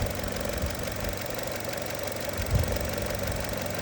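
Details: 2018 Chevrolet Trax with EVAP (P0443) and mass airflow codes, after cleaning the MAF sensor brought readings back in range: steady, even idle with a low smooth hum, no misses or stumbles; engine running normally.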